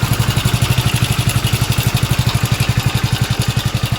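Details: Hero Splendor BS6 single-cylinder motorcycle idling before repair: dry metallic clatter riding over each beat from a worn, slack timing chain, which the engine came in to have replaced.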